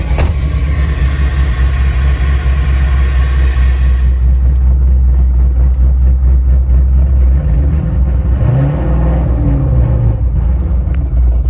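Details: C7 Corvette V8 (2014-2019) after replacing a heater hose assembly whose flattened O-ring leaked coolant at the AC compressor connector; deep, even rumble holds steady, then a brief smooth rev rise and settle, no knocks or misses. Normal idle.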